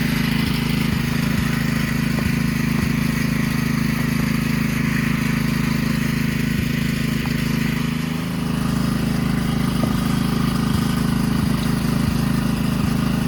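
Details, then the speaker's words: 2009 Kawasaki KLX140 dirt bike, sat about two years, jump-started with no battery; fired right up: small single runs a steady even beat, no stumbles or misfires, pulls cleanly; runs pretty good, normal engine running. "here it is guys thing fired right up I keep forgetting that SP mod on all my videos go look at them and I'm always forgetting it it sounds like it runs pretty good though"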